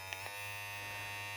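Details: Opove X Prime rechargeable hair clipper, fully charged: steady high-pitched buzz with an even hum, no rattle or speed dips; motor running smoothly.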